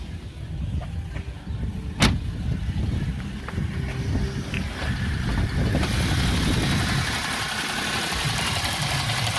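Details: BMW E60 after vacuum pump replacement: idle randomly turns uneven, the low beat wavering and surging as rpm varies; rough hunting idle, vacuum pump suspected, cause not confirmed.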